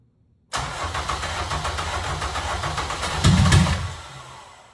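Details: Honda K24 swapped into a daily-driven EP3 Civic, freshly finished; catches at once, holds an even idle, takes a quick rev cleanly and drops back smooth. Minor fix was a coolant port mistaken for a vacuum port. Healthy engine.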